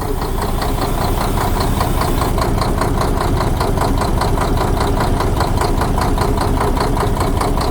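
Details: Diesel with knocking, injector lines to the pump loosened one at a time: steady, fairly even knock over the low idle rumble; knock vanishes when the number one cylinder line is loosened; injector or pump suspected.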